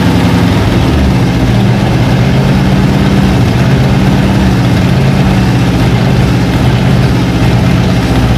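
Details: Abandoned 1956 Oldsmobile 88 revived after plugs done and carburetor bowls filled; deep, even low rumble with a steady beat, no knocks or misses; settles into a smooth idle.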